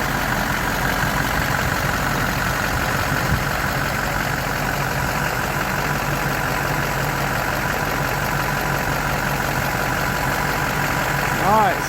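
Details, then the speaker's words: Rebuilt Duramax diesel with swapped injectors and rails, first start after rebuild, before reaching operating temperature: steady even idle with a smooth low rumble, no knocks or misses; engine sounds healthy. "first start here goes oh man that's sweet right there you hear that oh man oh yeah"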